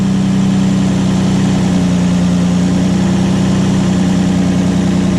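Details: 2005 Nissan Murano after alternator replacement, engine idling: smooth even idle with steady low hum, no whine or rattle; normal idle, charging about 14.56 V; old alternator was noisy and undercharging.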